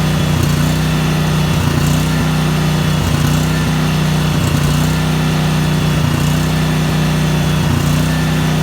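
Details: Briggs and Stratton 12,500 Elite series generator, 10W30 oil, about 85°F ambient, after choke-in restart: strong, steady low drone at even speed with slight rhythmic pulsing; running smoothly, normal.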